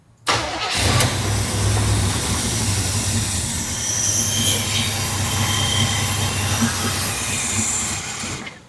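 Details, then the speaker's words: 1972 Chevrolet El Camino, original 402 big block, first cold start after fuel hookup: catches almost instantly and settles into a steady, deep idle held up by the choke, no misses; healthy engine warming up. "Remember, it's gonna idle up because of the choke."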